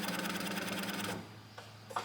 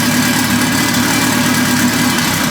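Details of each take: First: Built H22 turbo Honda Civic before first start, fuel pump fuse reinstalled: about a second of steady electric buzz with fast even chatter, then stops cleanly; pump priming normally, pressure around 40 to 43. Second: Honda Civic with built turbocharged H22, first start, oil pressure good, fuel pressure about 40–43: loud revving engine stumbles and sputters when throttle is snapped open, then dies away; running way too rich, smells gassy.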